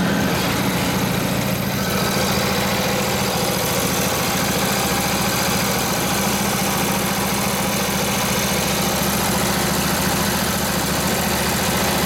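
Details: Rebuilt Harley 45ci WL flathead V-twin bobber, points just timed, runs at near full throttle against the drum brake; an even, steady thump holds speed and takes the load cleanly, running healthy.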